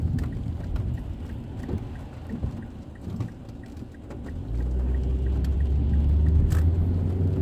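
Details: 2006 Mazda 3 2.0L road test after replacing the main engine mount and the lower transmission mount: a steady low road rumble with rain pattering and no rattles, clunks or pops; the engine sits quiet on its mounts.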